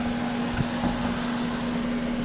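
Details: Ozone generator used for deodorizing fire-damaged contents at a restoration center: even, unchanging hum with fixed low tone over soft fan airflow; running smoothly.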